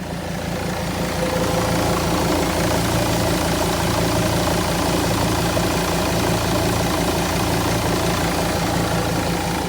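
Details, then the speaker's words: Mercedes Sprinter diesel idling with a steady low throb and a faint buzzy rattle like a small moped engine on top. It grows louder and quieter and cuts in and out; it began the night before and the source is not yet found. "d of noise it sounds like a small moped engine and sometimes it's a little louder sometimes it's a little quieter and at first I couldn't really figure out what the noise is coming from"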